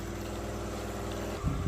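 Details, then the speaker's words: High-mounted wall/ceiling fan with a replaced blade after the old one shattered: steady low hum with a coarse, throbbing drone behind it, loud vibration. Cause unknown and still being investigated. "[เพลง]อ่าสวัสดีครับคลิปนี้จะมาให้ดูเนี่ยพัดพัดลมตัวนี้นะพัดลมเพดานนะพัดลมมุมสูงนะมันมีเสียงดังแบบนี้นะ"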